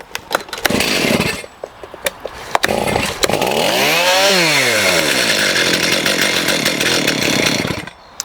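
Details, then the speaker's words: STIHL MS291 chainsaw with an adjustable carburetor, not M-Tronic, set lean at the factory with restrictors on the adjusting screws, recently run: pulled over, catches, revs once and settles to a thin, high, fragile idle, running lean. "Now the issue with this saw is that it's running quite lean, and I think it's been doing that since the customer bought it new."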